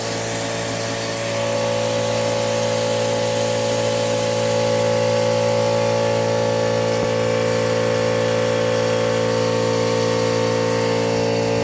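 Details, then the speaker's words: 6.0L Powerstroke diesel with hot no-start, air test of high-pressure oil system: steady hard hiss of air escaping over a drone; leak at the revised STC fitting installed 4 years and 47K earlier, past its O-ring. "So I'm going to open the air now and you'll see where the oil is not really flowing oil, but the air blows out where you can see where it's striking."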